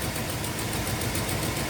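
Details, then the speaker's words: 1979 Little Red Express truck with new V8 engine, first test drive, warm at hot idle with 50 psi oil pressure, A/C on: faint quick ticking puff over the rumble from a newly found exhaust leak at the cylinder head. "exhaust leak over here. We're not going to go far."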